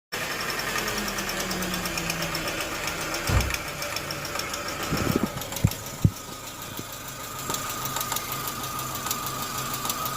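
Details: Chevrolet Corsa Montana 1.4 sedan engine at idle: a steady hum broken by irregular sharp knocks and thuds, not locked to a clear beat; the source of the knock is unknown.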